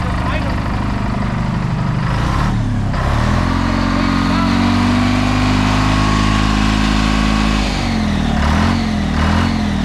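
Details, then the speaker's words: Old John Deere tractor, owned since 1965, with a shot starter armature: it idles steadily, then revs cleanly twice and drops back smoothly with even firing and no knocks or misses; it sounds healthy. "other than that man that sounded so good when I reved it wow so I guess it looks like it's a keeper"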